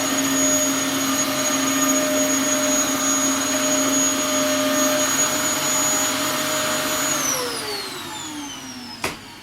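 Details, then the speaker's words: Dyson DC07 Origin vacuum reported to overheat and die after about 10 minutes, vacuuming carpet with washed and new filters: steady high whine for about seven seconds, then it spins down and shuts off. The motor is very hot and judged to be failing. "Ooh. What do you know? That has just turned off."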